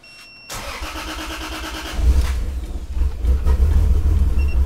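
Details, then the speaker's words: Lexus IS300 on the first start after relocating the ECU to the interior and extending the engine harness, O2 sensors left unconnected: cranks, catches, then runs rough and uneven with wavering pitch; owner feels a misfire and the exhaust smells very lean. "feels like a misfire come on don't do that no"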